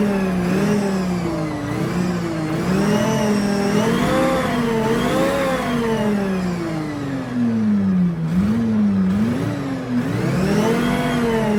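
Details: FV432 APC K60 diesel: revs pull up and settle back several times, firing even and steady with no miss or knock; sound transformed, normal running.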